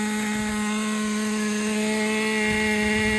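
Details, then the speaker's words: Traxxas Nitro 4-Tec 2.5 RC car nitro engine restarted after loosening over-tight brakes: high steady buzz holding even revs without stumbling; brakes adjusted too tight had been dragging it, now running clean. "All right, let's start it one more time. It was the brakes. Damn."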